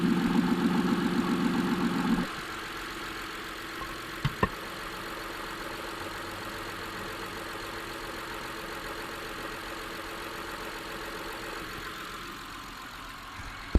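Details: Honda J35A9 V6 at steady idle with an even fast ticking rattle from the front; loudest at water pump and tensor pulley (bolted to pump housing), both feel firm and spin freely, no pump leak, cam pulleys ruled out; cause uncertain.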